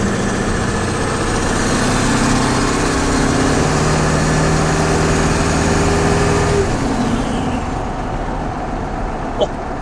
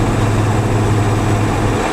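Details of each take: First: Old turbo 7.3 diesel Ford F250 at highway speed right after wheel bearing replacement: steady diesel drone and even road hiss, no wheel growl or hum; the bad bearings' noise is gone. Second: Old turbo 7.3 Ford F250 driving on highway with radiator mostly blocked off: steady low hum and growl alternating quiet and loud, from a worn front left wheel bearing, likely present the whole trip.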